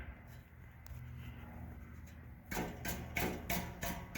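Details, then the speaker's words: 2012 Chevy Cruze: hand taps on the muffler, about three per second, each leave a tinny rattle; a baffle inside has broken loose at this end but not farther up. Catalytic converter taps solid. "I can hear something listen that hear that there's a baffle inside it's breaking loose it's broken loose on this end but not farther up"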